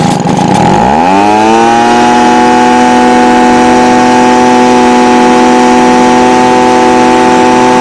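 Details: Stihl BG55 blower, no-start fixed with a new aftermarket carburetor (C1Q-S68G) replacing one with a torn diaphragm; intake gasket damaged, possible air leak. Climbs from a sputter to a steady, high, even scream; running, though the owner waits 24 hours to test the cold start.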